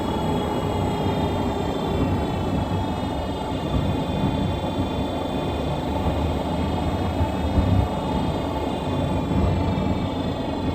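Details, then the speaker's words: 2017 Nissan Rogue driving: a constant high-pitched whine from the rear end over road rumble that never stops and only lessens when slowing. Worn rear differential coupling. "you hear that sound sounds like that all the time just a high pitch whining noise never stops you know it just gets less as you're slowing down"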